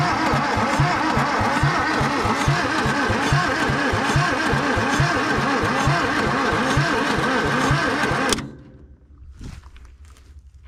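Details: 1962 Hillman Minx parked for 40 years, intake off: it fires on carb cleaner, then on gasoline chugs unevenly at about three beats a second and dies. It runs rough and hates the gasoline.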